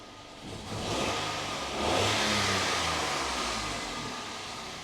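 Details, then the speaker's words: 2013 Toyota Aygo 1.0 petrol just after a spark plug change: catches, rises to a brief fast idle and settles evenly with no stumble or misfire. Normal idle. "gym but um that seems to run smooth enough"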